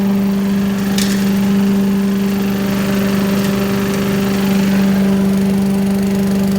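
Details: 1980s Billy Goat vacuum small engine running after fresh fuel and carb cleaner: steady even drone at constant speed, no surging, misfire or knock; hard to start, owner suspects low compression, but runs like a champ.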